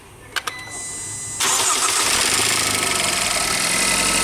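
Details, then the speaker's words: Range Rover Evoque 2.0 turbo (Ford direct-injection engine) cold start: starter whir, then the engine catches with a fast metallic chatter over idle; chronic fault in the intake and exhaust cam phaser pulleys. "Esse carro tem um defeito crônico nessas polias de admissão e escape."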